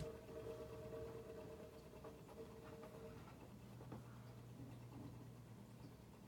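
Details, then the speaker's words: Sanyo 12-inch table fan running: quiet steady motor hum with faint singing tone and light rubbing from worn, unoiled fan bearings. "Right. Yeah, you should be able to hear the bearing noise."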